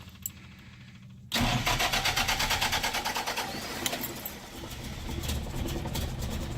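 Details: 1974 Land Rover Series III in neutral with retrofitted electric fuel pump; pump clicking, quick crank, engine catches at once and settles into a steady even idle. Normal start.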